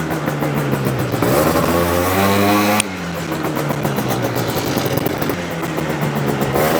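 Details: Yamaha BWS 100 two-stroke scooter with Malossi 125cc kit, airbox refitted, more responsive: revs climb and pull quickly, bottom end fine, then flatten without the sharp top surge; not kicking into the power band.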